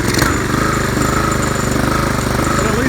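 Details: Craftsman weed trimmer 536.773500 with a swapped-in Honda engine using a pressure washer carburetor: small engine runs unevenly, stumbling and surging instead of a steady buzz; carb cleaning needed, cause suspected, not confirmed.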